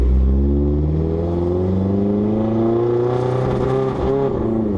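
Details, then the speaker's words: Turbo project race car on its first test drive: it pulls with a rising note, then falters and breaks up at about 4,000 rpm. The driver guesses it leaned out; it won't rev past 4,000 and smells of burning oil. "oh oh oh that was not good that was at 4,000 it just like leaned out I guess"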